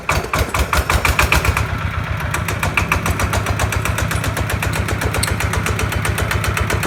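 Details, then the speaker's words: New Kawama 9.5 hp single-cylinder diesel walk-behind tractor engine, first start demo: starts very easily, crisp regular thump about four beats a second, smooth and even with no misses or knocks. "[เพลง]ติดง่ายครับติดง่ายมากตกใจหนดครับ"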